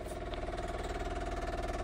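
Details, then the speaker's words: Austin Countryman classic Mini, sat all winter on an ultracapacitor instead of a battery: electric fuel pump ticks rapidly and evenly, getting quieter as it starts pumping fuel up to the carbs; normal fuel pump operation. "you hear it starting to grab some fuel now it got quieter cuz it's actually pumping fuel up to the carbs"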